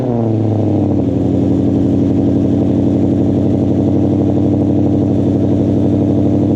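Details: Ford mod motor V8 with Corsa exhaust, cold start after adding Vibrant 1793 resonators (2.5in inlet, 18in) to kill rasp; brief RPM flare settling to even fast idle, loud burble, no rasp or crackle; normal.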